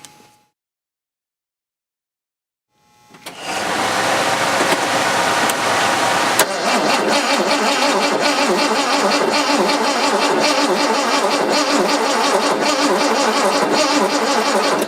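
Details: 1970 Jaguar E-type coupe after sitting about 4.5 years: a steady crank of about three turns per second for over ten seconds with no firing. Fuel has just reached the float bowls and the ignition coil was reconnected. It cranks but won't start, so spark is to be checked next.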